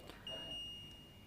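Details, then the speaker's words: Polytron 1/5 PK refrigerator, control module box opened: single sharp high-pitched beep, part of irregular beeping like a door-open alarm; the control module circuit is judged faulty, making the fridge run abnormally. "bipnya ini berbunyi tidak beraturan. Artinya memang ada masalah ya pada rangkaian modulnya ini."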